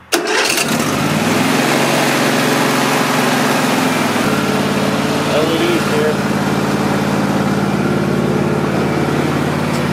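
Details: Husqvarna YTH24V48 riding mower, after rewiring the starter solenoid and adding an engine ground: short crank, catches right away and settles into a steady, even idle with no misses; normal start.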